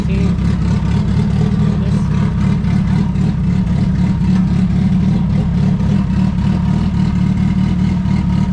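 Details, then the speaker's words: Turbo D16 Honda EF hatch, GTX3576R turbo, first start, while ignition timing is set: loud deep even idle around 1000–1200 rpm with steady exhaust beat, no misfires. Normal idle. "now we can turn the idle up a little bit because it's probably about a thousand thousand twelve hundred"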